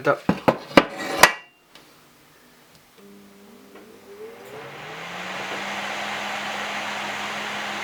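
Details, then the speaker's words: BT Fan CT4B25 cooling fan (25 mm thick) for an indoor-grow LED panel, noise test: after a few handling clunks it spins up with a rising hum into a steady, fairly loud rush of air; described as very quiet, running normally. "Vamos a darle vuelta. Ahí vamos. Se siente, es muy silencioso."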